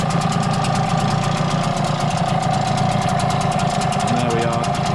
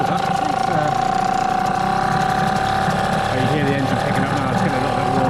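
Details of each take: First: Brand-new Hangkai T6 6 hp two-stroke outboard, running in water on 25:1 running-in oil with the lid on. Quick, even popping at a steady idle, no misses or knocks; running clean, fairly smoky. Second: Hangkai T6 6hp two-stroke outboard at its first start, running in water on 25:1 running-in oil. The engine is cold and idles fast and steady with a high buzz; the owner suspects the carburettor setting or a rich mixture.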